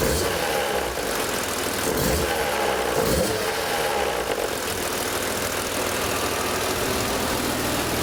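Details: Idle on a BMW M3 E36 with the S50B32 engine: loud, busy running with a few irregular thumps and rattles over the steady beat. Abnormal idle noise, possibly from the VANOS unit, unconfirmed.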